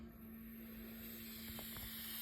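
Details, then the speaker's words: Hot water boiler radiator system partly cold, refilled after flushing sludge: opening an upstairs radiator bleed valve gives a steady thin hiss, faint whistle and spits as water pushes trapped air out; air escaping during bleeding. "so that's now the water pushing the air out of the valve and what we want to do is wait until that starts to just spit a little water up"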